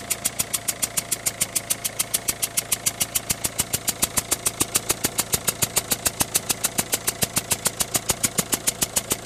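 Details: Citroën Berlingo 1.6 HDi diesel, 123,000 km: sharp, very even ticking about three and a half times a second over the idle; noise and smoke at start-up, the smoke fades but the noise stays, cause not found.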